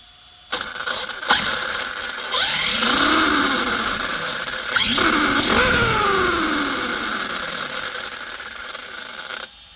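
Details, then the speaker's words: Arrma Kraton 6S EXB RC monster truck after loosening pinion/spur mesh by about 1–2 mm: motor whine sweeps with throttle, clean without harsh gear grind; noise much improved. "right it seems to have been a bit better than before so though the mesh was fine I have loosened it off probably about a mil or 2 mil at the most and it seems to have improved the noise a lot better as well"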